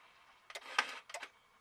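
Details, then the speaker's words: Mitsubishi Montero with a 5.3L LS V8 swap, in neutral with the brake pressed, shifting into 4 Low: a few quick whirring clicks within about a second from the transfer case shift motor, which shifts normally. "You can hear that the motor down there clicking and stuff."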